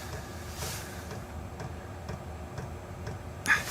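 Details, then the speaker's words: Chinese all-in-one diesel parking heater in shuttle bus RV conversion, on lowest setting 1, mic facing unit: soft even ticking about twice a second over faint fan hiss, mostly air noise; calm, normal running on low. "Hey guys, I've turned this all the way down to low. It's down on 1 right now. It's a little calmer in here. Unit's not making so much noise as air noise."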